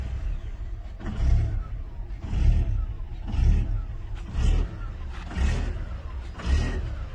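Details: 2007 Volkswagen Jetta started from key: idle swells and sags about once a second, hunting and never settling; idle surge, cause not yet found.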